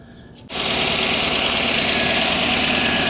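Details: After replacing the fuel pump and filter unit for a low-power problem, fuel pressure now 48-49 psi as the manual specifies. Engine fires at once and holds a steady, even idle, no stumble or misfire; runs healthy.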